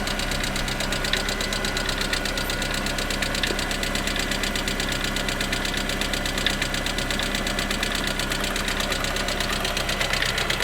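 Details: Lada Priora engine at idle: fast, light metallic ticking over a steady idle, faster than once a second, from the hydraulic lifters; valvetrain ticking, parts replaced under warranty.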